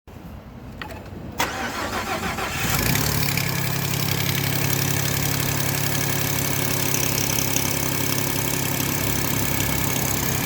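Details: Ford F150 pickup cranking, starting and idling with a rough, puffing tick from an exhaust leak.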